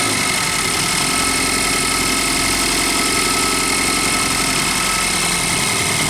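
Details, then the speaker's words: Range Rover Evoque 2.0 turbo (Ford direct-injection engine) at idle, warming and after a blip: fast, loose ticking knock about three to four per second, felt by hand at the cam pulleys; chronic VVT phaser knock. "Se você colocar a mão bem aqui, ó, você sente ela batendo, ó. Sente as polias batendo."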